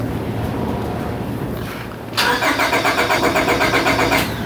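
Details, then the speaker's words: Honda Accord with low power and stalling on acceleration: starter cranks steadily about four turns a second but the engine never fires, because the fuel injectors were left unplugged from the previous day. "H I never plugged the injectors back in from yesterday okay understand"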